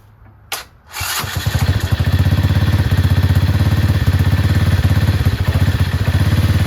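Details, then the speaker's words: Chinese 125cc ATV quad with intermittent spark, left untouched for a day: a short crank, then it catches right away and settles into a steady, even idle putt. Starts when cold but loses spark after running; CDI or a loose connection suspected. "I'm telling you if I haven't touched it in a day it'll start"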